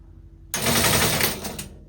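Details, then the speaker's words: Teletype Model 33 KSR powered on; a harsh burst of rapid clatter about a second long that stops abruptly; noisy and jammed mechanism, needs restoration. "All right, well, it does do something. It's a little noisy, it's a little jammed up."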